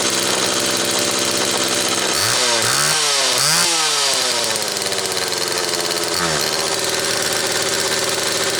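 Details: Homelite XL Automatic chainsaw after repair (fuel issue had forced full-choke running; new bar stud), cold morning, engine half warm; started in about six pulls; crisp buzz blips up twice and drops back to a steady idle without stumbling; high speed close enough; normal running.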